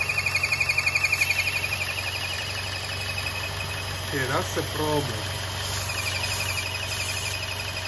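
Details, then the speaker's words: 2014 Chevrolet Cruze 1.4L, codes just cleared, before installing a PCV kit: high thin squeal over a struggling idle, pulsing a few times a second; idle squeal from a PCV vacuum leak. "let's step the engine here you hear that noise [Music] i mean the engine is struggling and as you can hear the noise"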